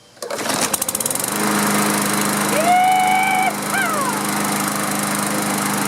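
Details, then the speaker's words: Briggs & Stratton lawn mower with plastic carburetor, sat outside a couple of years and wouldn't start. After the carburetor was cleaned and fresh fuel added, a few pull-start chuffs, then it catches and settles into a steady, even buzz with no misses or surging. "we'll throw the filter back on and we'll make sure she fires right"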